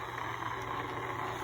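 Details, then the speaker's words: c1964 Stuzzi reel-to-reel tape recorder after motor replacement, fans off, running at slow speed: only a faint, even hum and soft whir, no knocks, rubbing or wavering; normal quiet running. "let's turn on that listen to that I can't hear the motor running at all and running slow speed"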